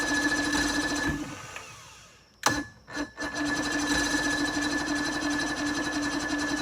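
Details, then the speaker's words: Johnson 88 two-stroke outboard, not in the water, started after a spark check and priming with fuel, idle not yet set: buzzy high drone briefly drops out with a couple of clunks, then settles to a steady run. "well there we go she started that'll do it"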